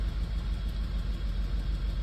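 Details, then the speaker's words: Audi A4 B8 held at about 2,000 rpm, car visibly shaking, with no fault codes on an OBD2 reader: low rumble with uneven dips and stumbles, a choppy misfire; description later blames a non-original intake. "I sell the car a little bit like this, go to 2,000 RPM, you know. And I can see the car is shaking, you know. My car is shaking, it's bad."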